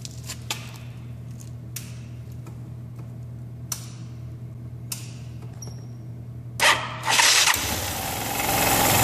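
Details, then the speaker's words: Yamaha Zuma 125 scooter, with vibration and rough acceleration from idle, started and idling with the CVT cover off: loose, fluttering slap from a worn, stretched V-belt, replaced with a genuine Yamaha belt. "I'm getting some [Music] slapping some slapping here on the bottom and on the top so we're getting some slapping this is what we refer to this is what people refer to as uh belt slapping"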